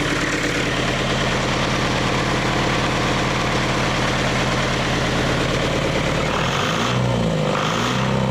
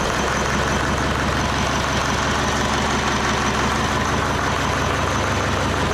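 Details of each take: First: Leyland 154 tractor diesel first run during restoration, new starter and glow plugs, about 1,200 rpm with great oil pressure; even steady clatter, no knocking, sounds good despite diesel pump leak and oil spitting from broken dipstick tube. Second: Leyland 154 tractor diesel restarted with heat while not yet warmed up, its injection pump leaking diesel. A low, uneven clatter wanders and won't hold idle, though oil pressure is good. The cause is unclear; the leak is a possible factor.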